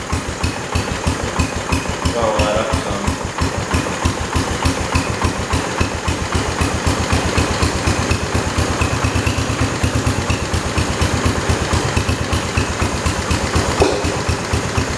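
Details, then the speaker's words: 1968 Kohler-powered 112 tractor after choke hookup and throttle linkage work (earlier it seemed to run rich): even, steady single-cylinder thump with no misses or surging and a clean exhaust beat; running smoothly and healthy. "think I'm gonna leave it like that sound that actually runs really good"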